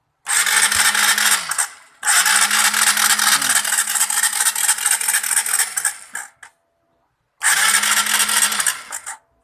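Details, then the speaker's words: Honda CBR 150R, cam chain tensioner failed, chain jumped timing, piston hit valves, all exhaust valves bent; tensioner replaced and retimed. Electric starter spins engine fast and evenly with no compression kickback: compression lost. "Apabila motor ini masih ada kompresinya, pasti ada tekanan tendangan baliknya apabila motor itu tidak hidup ketika di starter."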